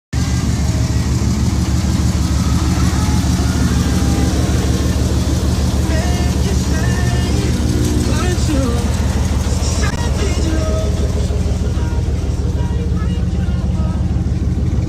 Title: Lower end rod knock (97 ram 2500 5.9L)